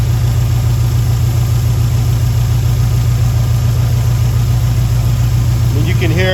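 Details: 2011 WRX after a JDM engine swap with fresh oil and filter: the boxer settles into a steady, even idle right after its first-turn start, with no misses or knocks. No codes or check engine light.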